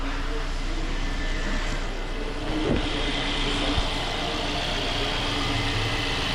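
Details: Petrol car engine idles steadily and evenly after the injection warning light is cleared, with a smooth hum and no knocking or rattling; normal idle.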